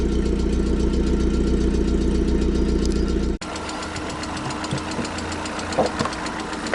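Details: 16-valve engine burning oil, with oil on the spark plug wells and plug threads and smoking, idling roughly: steady knock, about four per second; engine knock, cause unclear.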